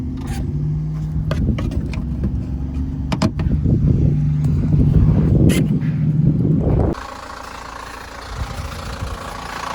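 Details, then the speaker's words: 2017 Chevrolet Cruze LT turbo diesel, automatic, after going into engine-power-reduced limp mode with smoke through vents on first test drive: lumpy, uneven idle with irregular heavy knocks that went away when revved. "Thing sounds like [ __ ] now. Bryce got here and we started it up to show him the engine knocking. It sounded like [ __ ] and then I revved it up a little bit and it went away."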